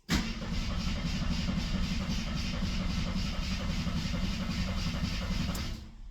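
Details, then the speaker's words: 1973 AMC Gremlin, sat 30 years in a barn: starter churns evenly at about four turns a second for five seconds and never catches; cranks well but owner suspects no ignition, possibly mice-chewed wiring. "Sure cranks good. Oh, our radio does work. I don't think we have any ignition."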